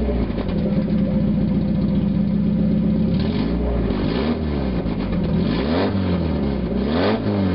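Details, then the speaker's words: 1991 Mazda Miata 1.6 litre, catalytic converter removed, running straight pipe: raspy loud idle, then quick sharp revs that rise and drop fast with a harsh blare; sounds bad but revs up much quicker and runs smoother without the converter's back pressure. "Well, I was right. Sounds like crap. Definitely revs up a whole lot quicker though."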